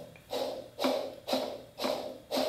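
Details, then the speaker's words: Honda B-series manual transmission differential bearing spun by hand, giving a loud, coarse gritty rattle surging about twice a second, louder than the other bearing; worn differential bearing, getting ready to fail. "that's uh pretty loud then you hear this one it's not as loud so this one's this one's getting ready to go"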